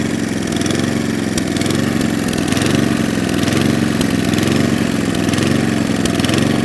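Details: Atco Balmoral cylinder mower unrun for nine years: engine note rises and falls about once a second; lean surge, carburettor fuel screw then opened about three-quarters of a turn.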